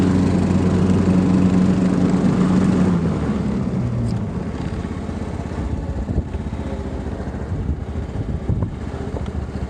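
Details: John Deere LT150 rider mower, Kohler 15 hp single-cylinder air-cooled 4-stroke, after cleaning and service; single-cylinder thump runs fast then drops to a steady, even lower speed with no sputtering or misfire; normal running.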